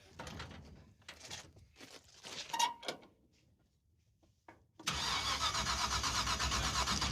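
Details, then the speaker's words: Engine with an ignition box borrowed from a bystander: the starter spins steadily about four times a second but it never fires. The box light blinks and there is no spark; the rotor checked fine, so the distributor pickup is next. "Turn the ignition on. On. Go ahead and crank it. It's blinking. That's weird, dude. That's got no spark."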